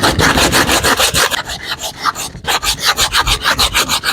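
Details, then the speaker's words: Hand sanding a deep scratch on a plastic car bumper: a coarse, scratchy rasp at about three strokes a second, meaning the paper is still cutting. It should turn smooth once the scratch is gone. "you want to get rid of that sound when you know you know and it's making that noise that means it's working okay that's what that noise means it's working"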